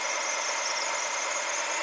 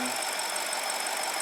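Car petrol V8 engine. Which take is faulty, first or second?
second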